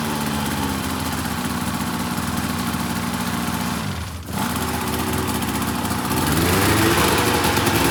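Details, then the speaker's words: 2004 RMK 800 two-stroke sled with SOP exhaust, Boyesen reeds; crisp drone dips briefly then climbs smoothly in pitch, no misfire or rattle; running healthy. "it actually sounds despite 120 currently on one hole it sounds pretty freaking healthy"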